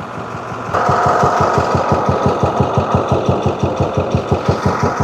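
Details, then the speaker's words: 2014 International MaxxForce diesel, check engine light on with codes, won't exceed 20 mph, heard from the front of the engine: uneven, lumpy idle, about three pulses a second; cylinder misfire suspected, injector test next. "ya escucharon la falla del motor verdad"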